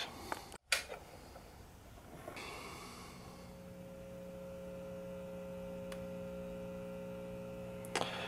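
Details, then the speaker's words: 1947 Sparton model 101 AA5 tube radio after recapping, tuned off-station: steady low mains hum with faint buzzy overtone remains under quiet audio, filter capacitor hum suspected, at a tolerable level. "see we still have [Music] home still have our home there but um I guess it's at a tolerable level"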